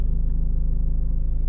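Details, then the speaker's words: 2015 Ford Mondeo MK5 estate at idle: steady low humming vibration in the cabin, passenger side between front and rear, traced to a loose fuel pipe bracket/cover under the car. "so you can hear that humming is a like a vibrating sound right"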